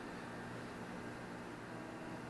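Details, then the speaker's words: APC Back-UPS Pro 1500 (810 W rated, 9 Ah battery) under over 700 W gaming-PC load, about 5 minutes estimated runtime, as mains is pulled and it transfers to battery: faint steady low electrical hum, buzzy overtones, no dropouts; normal inverter operation. "this should be much harder for it to kick seamlessly to battery without shut the computer off let's see what happens so we are kicked to battery"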